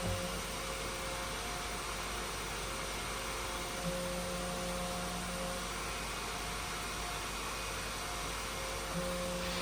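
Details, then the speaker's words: Flashforge Adventurer 5M Pro 3D printer: loud steady rush with humming tone from the stepper-motor cooling fan, vibrating because it is screwed on one side with only 2 screws instead of 4. "Il est fixé uniquement par 2 vis sur un côté. Un ventilateur, si vous ne le fixez pas sur 4 vis, la partie qui n'est pas vissée, elle vibre."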